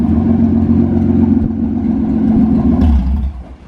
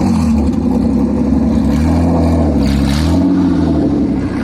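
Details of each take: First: V6-swapped Toyota MR2 on its first drive under its own power, engine still a bit cold, no muffler fitted: loud raw exhaust roar pulling smoothly through a short rev with even firing beat, "sounds like a race car, so meaty"; healthy V6, no issues yet. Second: V6-swapped Toyota MR2, new exhaust fitted but muffler not yet installed (still waiting on it): very loud, raw, harsh V6 exhaust barking through revs and settling back, "stupid loud, insanely loud"; loud only because the muffler is missing.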